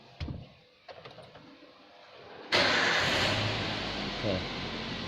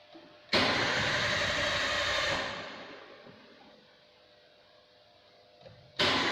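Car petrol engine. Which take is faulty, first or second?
second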